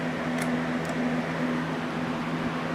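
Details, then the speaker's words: Cheap household fan about two years old with a missing rear screw, leaning and chipped: steady motor hum with an intermittent squeaky creak every half second; cause not yet found before teardown. "Listen to all those noises that it's making."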